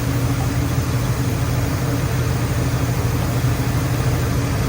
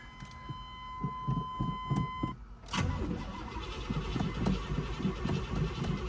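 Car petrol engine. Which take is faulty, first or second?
second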